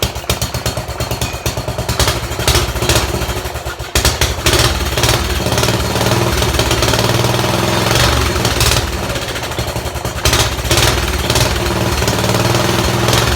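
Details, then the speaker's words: Sears Suburban garden tractor, small single-cylinder engine running steadily: loud, raw, rapping exhaust; engine runs fine but the busted-out muffler makes it harsh and noisy. "runs good even that busted out Shusher doesn't sound good man"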